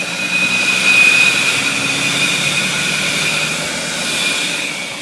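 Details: BMW 740i engine running: steady high whistle or whine over smooth engine hum with no knocking; source unclear.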